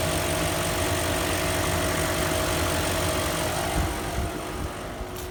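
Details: 2003 Range Rover after sitting 4 days, shortly after a garage fitted new timing chains and guides. It had a lumpy rough idle and vibration under acceleration. A steady high whine from the lower sump/bottom timing chain cover area rides over the idle; cause unconfirmed.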